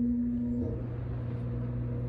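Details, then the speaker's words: Low-voltage evaporative swamp cooler with an added Wi-Fi relay controller: a brief tone cuts off, then a steady low motor hum settles evenly as the pump runs and the fan is switched on at low speed; normal running. "I don't know if you can hear that but I can hear the pump running so it's wetting the pads now I'm going to try to turn on the fan"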